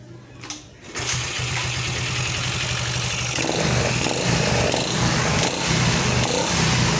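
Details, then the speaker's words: Yamaha Fino scooter that would not start with a 46-blink indicator code (4 long, 6 short), after repairing burnt, shorted stator charging wires: short crank then smooth, even idle with a steady rapid beat and no missing; normal start and idle. "setelah diperbaiki untuk kabel yang konslet dia akan normal kembali setelah motor dihidupkan teman-teman Oke sekali lagi kita hidupkan"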